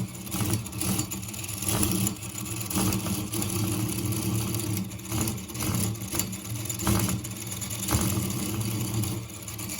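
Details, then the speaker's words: Engine without a dynamo on a continuous running test since 6 a.m., at 22:55: lumpy, limping beat with the low thrum surging and sagging irregularly; uneven running that the owner attributes to the gears, not the piston. "Pukul 22 lewat 55 menit di tanggal yang sama, lu bisa lihat 5 menit lagi jam 11 malam, mesinnya masih nyala cuman suaranya udah pincang-pincang cuy."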